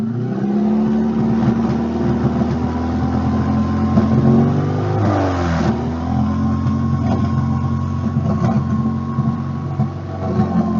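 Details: 1997 Subaru Legacy with EJ22 engine and an exhaust leak: a deep, raspy, loud, open note that rises and falls with throttle, near straight-pipe. In person it is louder and pops a lot.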